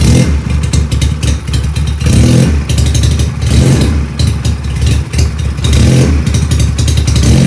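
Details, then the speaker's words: Benelli PE250 FI, which often fouls spark plugs: engine runs but won't take throttle, with idle sitting too high and surging unevenly; diagnosis traced the fault to a faulty MAP sensor. "Jadi seperti itu teman-teman ya, motor ini hidup cuman tidak mau digas ya. Jadi idle motor ini ngaco juga, terlalu tinggi ya."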